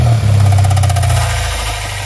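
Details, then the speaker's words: 8th-gen Honda Civic Si manual: a heavy, rough growl with a fast flutter when the clutch is let out slowly under load against the brake; the owner is 95% sure the throwout bearing has failed, after the car locked out of gear. "Whenever I heel toe this thing, load it up with the brake on and let the clutch out slowly, this throw-up bearing sounds gnarly."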